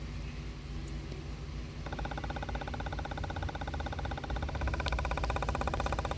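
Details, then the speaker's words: 2013 Cadillac XTS with P0496 EVAP purge flow at idle: scanner-commanded purge solenoid ticks evenly about four times a second, but at 90-100% it stays fully open without pulsing and does not sound right, faulty stuck-open solenoid. "you can hear the valves just doesn't sound right either 90 100 and it's fully open so it's not pulsing"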